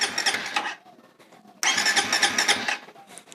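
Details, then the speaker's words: Suzuki Satria/Raider FI motorcycle, ignition on, hidden anti-theft switch activated (wired to green pulser wire and frame ground): starter whirs in two bursts but engine never catches; crank no start, ignition cut by kill switch. "Kemudian kita aktifkan saklarnya. Motor akan mati, dan di starter dia nggak bakalan bisa hidup."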